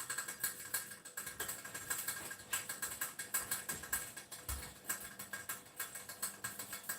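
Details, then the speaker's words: Saladmaster pan cooking white soup: quick, steady run of light metallic ticks, a few per second, from the vapor valve; the clicking signals to turn the heat down to low-medium. "so remember insulin master you can hear the valve taken again just keep turning it down to low medium click low"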